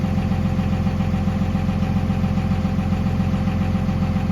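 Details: 1998-2002 Dodge Ram 5.9L 24-valve Cummins diesel idling just after head gasket replacement: even, steady idle with regular low clatter and no misses; healthy.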